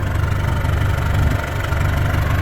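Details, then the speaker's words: 1952 Willys M38 with a Kubota V2203 diesel swap at about 700 rpm idle: deep, slow, throbbing diesel rumble with a pulsing shake. Owner prefers 1100 rpm because it is less shaky. "I chose the 1100 RPMs because it was less shaky I'll keep it at 700 for a while and let you know how I like it"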